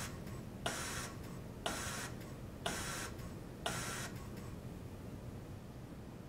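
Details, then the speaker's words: Hamilton G5 mechanical ventilator pre-use check, flow sensor calibration in progress: four short whirring bursts about once a second, then quiet; normal flow sensor test. "calibration in progress you can see where it's at with its test right over here and it's still working on the flow sensor let's see what it does"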